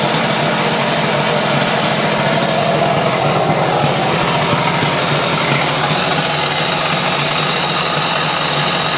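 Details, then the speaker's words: 1970 Yamaha HS1 90cc two-stroke twin, started on choke, runs rough and very noisy with a busy rattling knock from low down; owner suspects crank bearings, not confirmed, engine to be taken apart. "yeah that's pretty bad I think that's what we're up against crank [Applause] bearings now guys I tell you it just it sounds bad"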